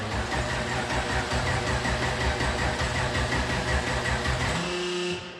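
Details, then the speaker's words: 2014 COPO Camaro (factory supercharged race car): slow, labored cranking that never catches, voltage 12.3 at rest dropping to only 10 while cranking; weak battery can't turn the engine, needs jump boxes. "That's definitely not gonna start. 12-3. It's only got 10 when you crank."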